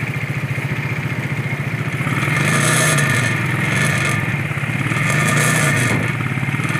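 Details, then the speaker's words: Ural sidecar motorcycle, idling: lumpy twin idle with tinny metallic chatter about four times a second, first suspected heat shield, found to be a loose gas cap; tightening it stopped it. "Gas cap. Yeah. I can see why you were concerned, though. Yeah. Somebody in the showroom must have went like this and looked in it and then not tightened it back up."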